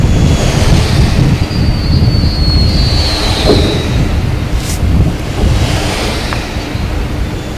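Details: Ocotillo Wind (Pattern Energy) turbine on 01/20/2015: one blade gives a thin high whistle sweeping down as it passes, with faint clunks at the bottom of the rotation over heavy wind rumble.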